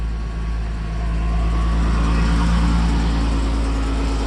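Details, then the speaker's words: 1990 Mercedes 300SE W126 with the M103 inline-6, cold start at elevated idle; a steady puffing tick about four times a second over the engine rumble from an exhaust leak; rear exhaust section was replaced but the centre section was not. "We got our exhaust leak. It's cold start, so it's higher RPMs."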